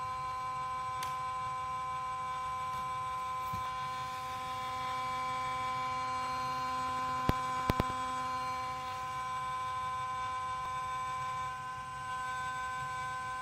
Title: Yuneec C23 Camera making Noise and Shaking